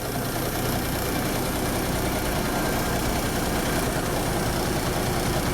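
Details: 1974 Kenworth W900A with NTA420 Cummins diesel, idling after starting first try following three years parked. An even diesel clatter at steady idle, with no misses or changes in rhythm: a normal diesel idle.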